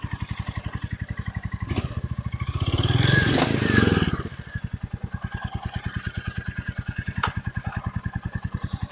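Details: Stolen, abused Royal Enfield Meteor 350 single-cylinder, first start, kickstand up: steady even thump at about 3.5 beats a second with a brief rev blip; healthy idle.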